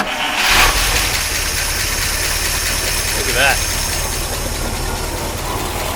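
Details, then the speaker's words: 1953 Oldsmobile Rocket Super 88 barn-find V8, electric fuel pump on, exhaust not yet repaired. Brief cranking catches almost at once, then settles into a steady, even idle with no misfires: normal start. "but she runs a thousand times better than so next is exhaust and then brakes and plows the parking brak"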